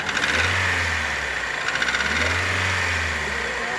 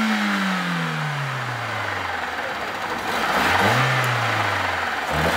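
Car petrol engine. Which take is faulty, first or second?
first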